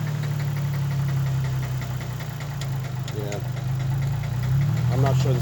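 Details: 2004 Infiniti G35 coupe automatic, 137,000 miles, revived from a dead battery, stalls in gear: heavy uneven knocking at rough idle, about three or four knocks a second; rod knock or broken cam bearing suspected.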